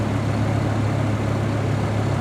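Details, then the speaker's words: Auction Chevy 3500 pickup, 3.5 liter straight-five, idling: low, steady hum with an even pulse and no skips or knocks; idles good. "yeah yes say there we go it idle's good though"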